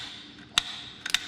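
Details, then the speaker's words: 1959 Chevrolet Biscayne that had sat about 40 years, ignition points just cleaned with power connected: a few sharp dry snaps as the points flick open, clean crisp sparks with quiet between; points firing again. "Oh, there we go. Getting a little action in there. Ooh. I can hear it sparking up there."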